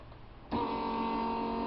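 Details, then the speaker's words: Bench fuel rail test rig: 12-volt fuel pump switched on, rail still holding 20 psi from an earlier run, kicks into a steady even whir and stabilizes around 37–38 psi against about 36 expected; normal fuel pump operation. "so it stabilizes right at about 38 psi which is great maybe a hair lower maybe a little bit lower maybe 37 should be between you should be right around 36 that's close"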